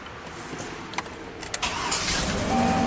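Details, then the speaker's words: 2005 GMC Sierra 2500 HD work truck, down three months, after soldering an extension onto the black ground wire and relocating the ground: short crank, V8 fires and runs steady and even, no stumbling — normal start. "This is crimped and soldered, so the truck should fire right up."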